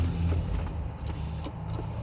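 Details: 2007–2014 GM/Chevy/Cadillac power window after switch repair and installed relay; low steady motor hum with a few light relay clicks as the glass travels; window motor runs smoothly, healthy.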